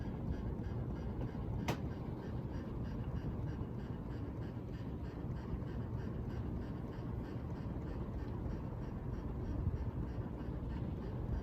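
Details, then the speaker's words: Pulsing buzz over motor hum, recorded close to the canopy of a 44-inch Hunter Coastal Breeze Plus ceiling fan; owner suspects a wire nut vibrating against the canopy, not confirmed. "So I don't know if you guys heard that sound or not, but it's making that zzz, zzz, zzz, zzz, zzz, zzz. That's that noise it's making."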